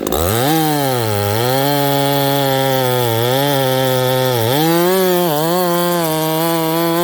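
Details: Ported Homelite 922 chainsaw after clutch and fuel line repair and a cooler heat range plug; restarts hot, then a crisp, even two-stroke buzz climbs and dips cleanly with the throttle, no stumbling; normal running.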